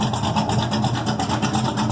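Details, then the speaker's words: Ford Maverick V8, exhaust straight 10-inch pipes off the header collector kicked out sideways, no mufflers: revving hard with sharp pops and crackle off throttle; backfire is normal for this car. "And yes, I was revving it up, and that backfiring you hear is normal for this car. Okay, the exhaust is just 10-inch pipes coming off the header, off the collection pipe, and kicked out sideways. No mufflers, no glass packs, nothing."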